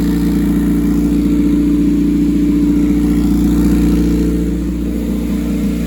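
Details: Rear-engine Honda CRX with custom turbo kit, reclocked turbo and V-band exhaust, restarted after install; steady even idle with low firm note, no knocks or misses; normal idle.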